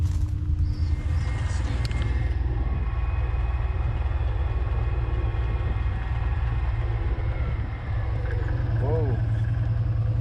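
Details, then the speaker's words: UTV/ATV riding rugged trails: uneven low rattle under the engine rumble from a U-joint in bad shape, which lasted the trip and was replaced afterward. "you can probably hear that rattling in the background turns out that was a U-joint that I had that was in bad shape"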